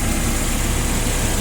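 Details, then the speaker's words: Sumitomo FG10 one-ton forklift, 1200 engine hours, petrol four-cylinder carburetted engine without LPG equipment: steady, even idle with no misses or knocks; normal idle. "Работает ровно, идеально. Бензиновый двигатель, понятное дело, 4-цилиндровый, карбюратор."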